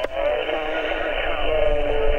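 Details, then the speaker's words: Xiegu G90 HF radio on 20 meters, preamp off, before an AM broadcast filter is fitted: muffled voice and music ride over the receiver hiss as a strong AM broadcast station breaks in. AM broadcast interference. "I just I can't make anybody out there's just a terrible noise I don't have the preamp on it it's just it's horrible what what is that on 20 meters sure sounds like an AM station coming across there"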